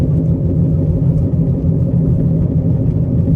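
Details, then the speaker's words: Long-unused car driven slowly down the street, known bad wheel bearing: steady low droning hum that sounds bad, previously clunking; brakes pull to one side, while transmission shifts smoothly and engine runs well. Wheel bearing growl. "Well, yeah, you can definitely hear that. Wow, that sounds that sounds bad."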